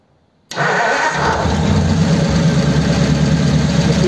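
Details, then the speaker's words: 1933 coupe hot rod, mostly stock engine, first start after a dual carb conversion, no choke. It cranks and fires at once, then settles into a steady, even low idle with no misses or knocks; both carbs are drawing, nothing wrong. "nothing wrong with that M they're both drawing"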